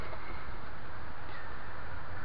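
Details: 1997 Ford F-150 4.2L, previously idling rough and stalling, after replacing leaking vacuum/engine breather hose elbows. Now a low, even idle rumble with no vacuum-leak hiss; sounds healthy.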